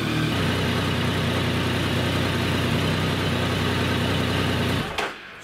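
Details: Triumph Tiger 1050 with a reported intermittent no-start at fuel stops: even, steady low idle with regular beat and no misses or knocks until cut off; engine idling normally.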